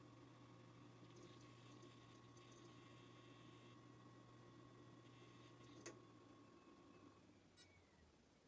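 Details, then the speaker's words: JVC DR-MH30 HDD DVD recorder bought as spares or repair, during the power-on loading sequence: faint steady hum with light irregular ticking and chatter as the hard disk is accessed; drive working normally, a positive sign. "It's actually accessing the hard disk, I could"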